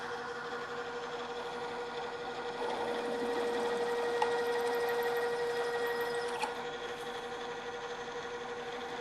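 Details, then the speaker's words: Drill press with half-inch drill, stepping up toward a one-inch hole, rerun at lower speed after chatter from running too fast: steady even hum, now cutting smoothly without chatter, drilling and backing out to clear chips. "the drill is cutting much more smoothly now we continue as before drilling for a while and backing the drill out clearing the chips"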